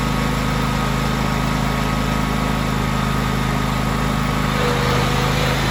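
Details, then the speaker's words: John Deere X300 riding mower, about 747–774 hours, with a broken throttle and a weak transmission. The engine drones at a constant speed with a smooth, even thrum and no misses or knocking: running normally. "throttle's broken on this dude and i really don't want to reach my hand in there by the muffler to adjust it manually but the engine starts right up it has 774 hours on it"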